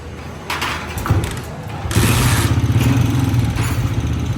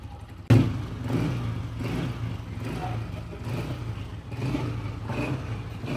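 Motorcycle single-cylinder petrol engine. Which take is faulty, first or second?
first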